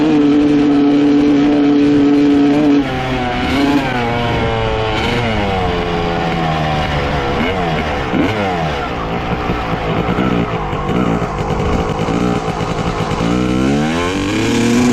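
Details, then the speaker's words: 1995 Honda CR250 two-stroke dirt bike with a different carburetor fitted, 55 pilot and 175 main jets: idles steadily, then stumbles and hesitates on each throttle opening; bog persists, carburetor ruled out. "all right unfortunately other carb made no difference still doing the same thing so we can completely rule out the carburetor"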